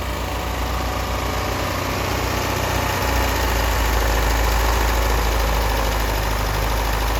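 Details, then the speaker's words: 1988 Lotus Esprit first start after rescue (injectors installed, new plug wires, hot-wired, fuel pumps on separate battery, WD-40 poured in cylinders, heavy smoke): heavy, uneven, loping idle that never settles; air-fuel ratio clearly off, running rich or lean. "It doesn't smell like oil or gas right now. So the air-fuel ratios are definitely off because I'm"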